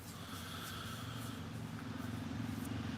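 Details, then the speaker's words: Two-stroke chainsaw with a hard-nose bar of about 14–16 in, possibly never apart. Steady idle with a ragged, uneven firing beat and occasional skipped strokes, an audible misfire. "Now, I don't know if the saw's ever been apart. It does have a misfire if you can hear it. And it carries on a little bit more now."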